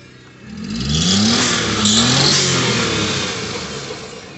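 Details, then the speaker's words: 1992 Suzuki Every turbo, fuel-injected single-overhead-cam F6A, after fuel pump replacement, in neutral: fuel pump heard priming, engine catches and revs up smoothly, settles evenly, no misses, knocks or rattles; sounds healthy. "i can hear the fuel pump kicking on sounds perfect it sounds perfect"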